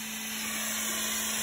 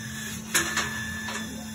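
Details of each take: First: CO2 laser cutter, after replacing the distilled cooling water with the chiller at 16.5°C, cutting at speed 18 and 70% power: a steady airy hiss with a low even hum. There is no whistle or squeal, so the cutting is now normal. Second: CO2 laser, 100 W-class tube, cutting plywood at 70% power, speed 18: thin high squeal from the tube and head after changing to new distilled water at 17°C; cut power dropped; fixed by replacing the water.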